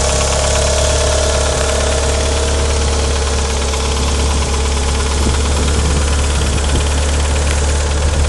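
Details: 1994 Mitsubishi Eclipse GS-T at even idle: a fast, light metallic ticking from the engine-bay top end that keeps pace with engine speed; the owner suspects a lifter tick, but the cause is unconfirmed.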